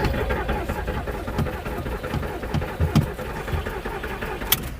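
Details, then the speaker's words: Scrapyard VW Polo with half a tank of fuel and new plugs reportedly giving spark: starter churns unevenly for several seconds, fuel pump seems to be trying, engine never catches or fires; cranks but won't start. "Sounds like the fuel pump is trying to do something, but nothing's happening."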